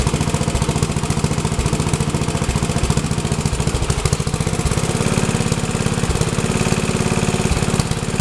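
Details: Troy-Bilt tiller test run after rebuild; owner unsure of choke setting (full, half or none) but it starts and runs good: small single-cylinder engine chugging at a steady, even beat about three and a half firings a second, no misses or knocks.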